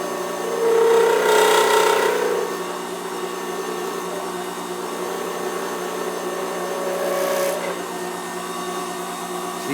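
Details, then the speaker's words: Lathe turning an acrylic bullet pen blank on a pen mandrel, tripod on the lathe table picking up vibration: steady spindle hum with short hissing cuts and hardly any thumping; vibration has dropped now that the blank end is becoming round. "you can hear that you don't have near the vibration that we had earlier um that's because the blank is becoming uh round"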